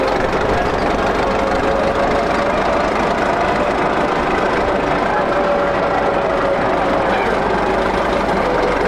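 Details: 1941 Caterpillar dozer, sat for a few years: steady diesel clatter held at idle with no surging or misses; it will only idle so far.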